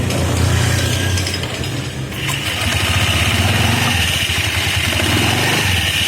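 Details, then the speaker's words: Honda Vario CBS scooter with a reassembled CVT and a new Champion RG4C spark plug; a coarse, uneven rasp over the engine beat is usually the CVT belt, which is badly worn; worn CVT drive belt. "Untuk suara kasar seperti ini itu biasanya penbilnya teman-teman. Ini penbilnya udah benar-benar kena ya."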